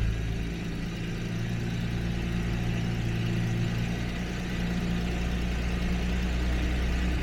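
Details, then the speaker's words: 1977 Jaguar XJ12 V12 restarting after a breakdown with a loud boom, timing only roughly reset and air filters off: a deep, steady low idle with no knocks, ticks or rattles. It runs normally. "h no weird sounds or anything I do have the air filters off so it's a little bit noisier than usual and low idle I mean timing is not correct but let's have a look no weird sounds"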